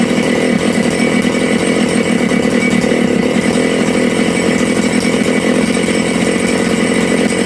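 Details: Big-bore Makita/Dolmar 6400/7900 85cc 54mm chainsaw with carb limiters removed and needles set one turn out: a steady high buzz with crisp, even firing and no burble. The low jet ran slightly lean; turning it in nearly stalled the saw, so it was richened.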